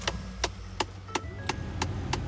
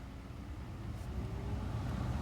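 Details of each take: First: 2011 Ford F-150 with HVAC on: steady sharp knocks, about three a second, behind the radio over a low fan hum, from a failing blend door actuator due for replacement. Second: 2011 Ford F-150 with touchscreen radio, after replacing the A/C blower resistor (the blower had only worked on max): at speed one over the idling engine, a low steady rush swells as the blower steps up, so the blower now works normally.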